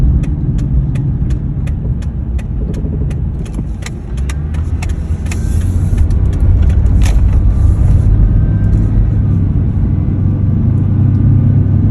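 A low, steady hum sits under the road rumble while driving, with faint light ticking early on; the hum's source isn't clear.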